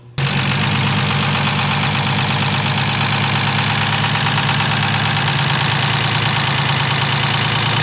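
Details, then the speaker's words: BMW E36 first start-up with newly built swapped engine: loud steady idle with fast regular ticking knock; lifters still bleeding down, possible additional unknown noise, others hear only lifters. "These lifters need to bleed ASAP. That doesn't sound good. That's not the lifter anymore."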